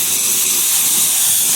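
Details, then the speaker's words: Sprinkler system winterizing blowout with a 22-gallon compressor at about 115 psi: a loud, steady hiss of compressed air with fine spitting spray as residual water and mist clear from the sprinkler head. "So if we come back here, turn this valve on, we get water. That's the residual water. You hear the air, and you'll see this mist come up."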